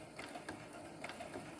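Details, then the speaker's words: Brother CS7000i computer sewing machine sewing after a 2-hour deep cleaning and oiling, and the stitching is confirmed correct. Quick, even needle-drive ticking with no knocks or grinding. Normal stitching. "And yes, it's stitching correctly."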